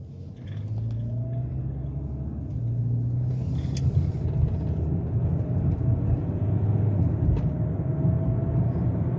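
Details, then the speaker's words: Hyundai Tucson on its first test drive (about a 15-mile round trip) after a misfire repair with a new head-bolt set: steady low drone builds smoothly with road speed, no stumbles or popping under load, no check engine light, no misfires; healthy engine under acceleration. "So far so good, super smooth, no check engine light, no misfires, nothing."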